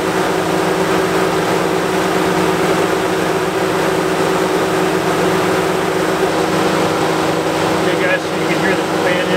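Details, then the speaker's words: 2014-2019 Chevy Silverado/GMC Sierra idling during new coolant temperature sensor test: loud constant rushing roar and steady hum; radiator fan running very high, as when the old sensor stuck at 160 kept it on continuously. "okay guys you can hear the fan is running very high let's see what we got"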